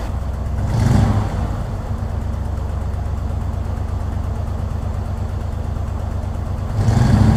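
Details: 1964 Ford Thunderbird V8 idling with a couple of throttle blips: deep, uneven, lumpy beat, missing on a cylinder; owner suspects a bad vacuum leak at the leaking carburetor-to-intake spacer gasket, not confirmed. Oil pressure a little low, temperature coming up.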